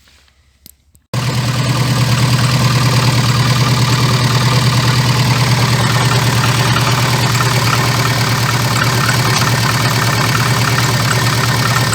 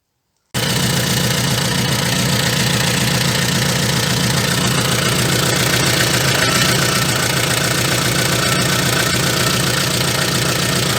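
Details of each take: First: VAZ 2114 engine, knock for three days, worst when dropping from 2000-3000 rpm: starts then idles with a steady rattling beat about three a second; crankshaft damper pulley found cracked with play, needs replacement. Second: VAZ 2114 engine idling after replacing cracked crankshaft damper pulley, alternator belt, timing belt and small crank sprocket: steady even idle with smooth regular beat, no knocking or rattling; sounds healthy.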